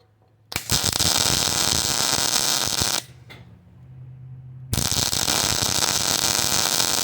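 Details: Hobart Ironman 240 MIG welder with the ground clamped directly onto the part instead of the table. A steady crisp frying crackle holds evenly through two weld runs: a smooth, stable arc, and the wire now feeds normally.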